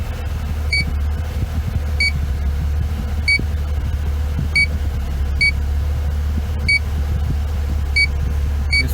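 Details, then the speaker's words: BMW R50 MINI with A/C running, leak detector at top vent: sharp high beeps about every 1.5 seconds over low idle rumble; slow refrigerant leak increasing as system pressurizes, bad evaporator core or expansion valve. "and there's a very slow leak but if you just barely detected unfortunately though this is one of those leaks that you really can't find on a car with the leak detector guy"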